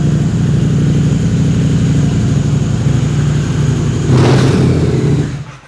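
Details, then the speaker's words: Harley-Davidson V-Rod with TTS supercharger, 10 lb boost, about 180 bhp, unrestricted, stronger clutch springs: deep even V-twin rumble blips up cleanly then shuts off, no supercharger noise, smooth; normal start and rev. "you tell there AR be any noise from the supercharger at all no it's ni and smooth in it yeah"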